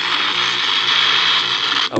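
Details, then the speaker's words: Philips RL 118 radio, transformer disconnected and run on an external 3 V supply: steady hissy crackle with thin whistle, cutting out and warbling at certain dial positions; gang capacitor shorted internally, to be replaced along with faulty volume control. "ഒരു ചെറിയൊരു പ്രശ്നമുണ്ട് വേറൊന്നുമല്ല gang capacitor അതുകൊണ്ട് ഇത് complaint ആണ് അതുകൊണ്ടാണ് ആ ഉറച്ചിൽ sound വരുന്നത്"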